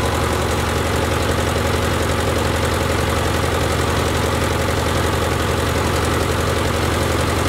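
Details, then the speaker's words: Ford Jubilee tractor engine at idle right after a carburetor replacement: steady, even idle with a low, regular thump and no misses or stumbles. Healthy idle; it previously stalled under load. "let's go turn the fuel back on see what happens huh uh sounds pretty good"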